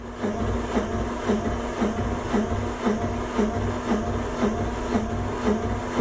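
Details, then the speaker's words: 1978 Yanmar YSB8 marine diesel, sat 10+ years in a flooded boat, after adding 10 liters of diesel and bleeding: steady cranking with even compression pulses about twice a second that never catch; owner suspects air still in the fuel system, flow not yet consistent. "See, maybe there's still a tiny bit of air in the fuel system here. Let me just open the bleeder again for 1 second. They may have just pushed a little spurt of fuel through and there wasn't consistent flow yet."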